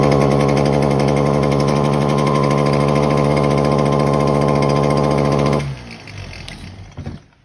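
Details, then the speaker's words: Stihl HT 250 fixed-shaft pole saw, two-stroke: runs labored with an uneven pulse of about four beats per second, never clears, then dies. The owner first checks a dirty air filter; the cause is not confirmed. "As you can see, the machine don't want to run."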